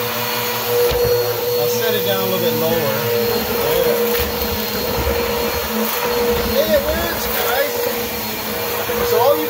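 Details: Bissell vacuum cleaner on carpet, third setting, after installing a new belt to fix a brush roll that wasn't spinning: steady high motor whine with the brush roll humming evenly, no slapping or squeal; running normally.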